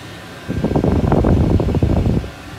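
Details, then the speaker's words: VEVOR diesel air heater kit with a long, inadequate fuel line, finally started after repeated priming and left at full power: steady fan rush with even combustion rumble and light pulsing, some smoke, hot air coming out. Normal running. "forse siamo riusciti a farlo partire a colpi di priming sì è partito adesso lo lascio a palla a palla lo lascio a palla"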